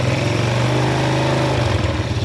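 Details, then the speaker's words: Yamaha Vega R New single-cylinder motorcycle whose idle would not stabilize, after valve clearance found too tight and regapped and carburetor idle adjusted; even strong putter holding steady idle without stalling, engine sounds healthy. "when you crank it, it feels heavy, Bro, it's going to idle, yes, it's stable, yes, I'll turn it down again, and the engine is about to roar, Bro, OK, yes, it's stable, it doesn't turn off"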